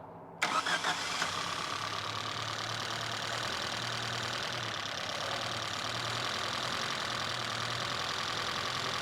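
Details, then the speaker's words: Cold carbureted engine from an old Toyota Hilux truck, fitted to a go-kart with no brake booster connected; catches after a short crank, then an uneven, wavering idle that dips and recovers, rough running from a big vacuum leak. "No wonder it's running bad. There's no brake booster, so there's a big old vacuum leak."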